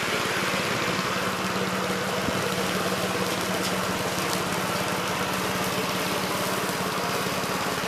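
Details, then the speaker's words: 1969 Gravely C8 tractor, morning run after no-high-range repair: fast, even single-cylinder putter holding steady speed, no misses or knocks. Running healthy. "seems like it's working and running pretty good guys so uh i think we got this one licked"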